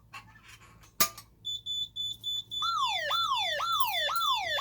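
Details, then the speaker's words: Simplex 3001-9001 burglary panel test: after arming, zone 1 (FCI MS2 pull station) is activated; a few short chirps, then a loud rising-and-falling warble repeats as the armed LED flashes and the siren sounds. "Now you can see the armed LED is flashing. And the audible is sounding as well."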